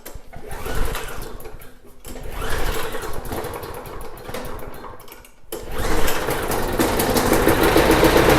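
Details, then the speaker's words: Snapper mower with leaking fuel tank, started in enclosed garage: sputters and stalls a few times, then catches and holds a steady rattling run; sounds okay once going, carburetor still to be checked; normal running. "Yeah, it started. Okay, kind of took a second, but once it fired up, it sounded okay."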